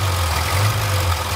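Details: Barn-find Austin-Healey Sprite after installing a new fuel pump: deep steady idle with no misses, knocks or hunting, small four-cylinder running smooth and even; normal idle.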